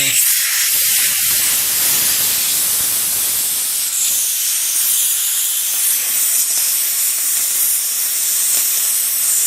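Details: Porter Cable 150 psi air compressor, tank down to 60 psi, drain bleeder turned counterclockwise with the tank tipped back: steady high hiss of air, sputtering slightly as condensation water is blown out; normal tank purge.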